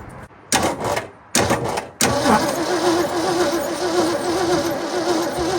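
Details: 1967 Ford F100 abandoned for 20 years, cranked on the key with a fresh battery and the fuel lines unhooked: short bursts, then a long steady crank with no catch. The accelerator pump was later found not moving; the fuel pump was repaired.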